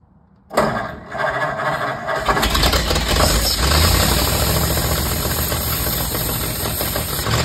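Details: 1950 Ford F1 flathead just reinstalled, no exhaust or muffler fitted: cranks, catches within a second, then a loud, even open-pipe idle with no knock; healthy normal idle.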